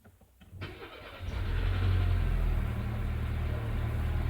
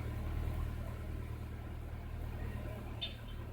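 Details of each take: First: 1999 Mercedes A-Class A160 with hard-start complaint, mainly in mornings, many dash warning lamps on; afternoon start: brief crank, catches within a second, steady even idle; no hard start reproduced. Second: 1999 Mercedes A160 with a hard-start complaint (worse in the morning, many dashboard warning lamps), restarted in the afternoon: catches and settles into a steady even rumble with no stumbling; the hard start is not reproduced.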